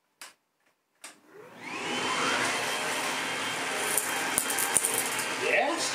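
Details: Bosch Athlet 24V cordless vacuum that arrived with zero suction, after restoring airflow, on setting two: couple of clicks then steady high whir with strong airflow, no surging; normal running.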